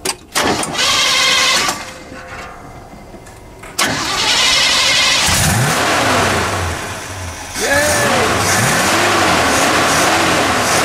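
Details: Engine restarted after Clean-R-Carb cleaning with carburetor mixture screws set about 4 turns out; cranks, catches and settles into a low, slightly uneven idle around 600 rpm, mixture still off and needing adjustment, rough idle; cause not confirmed.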